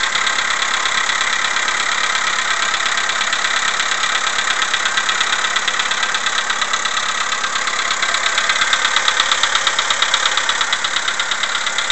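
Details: CFNA engine, cold morning start: sharp, regular metallic knock about twice a second over the idle, attributed to piston slap; cold-start knock, cause suspected.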